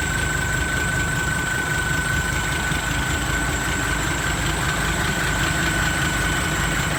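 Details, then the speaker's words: D-Max diesel just fitted with a new turbo, replacing one whose impeller broke; same brand as before. At idle, steady diesel clatter with a faint, constant high whistle that holds its pitch. Turbo sounds smooth and normal. "เทอร์โบดังแล้วครับหวานเจี๊ยบเสียงก็ไม่เปลี่ยนครับเหมือนเดิมก็สโบอันเดิมเลยยี่ห้อเดิม"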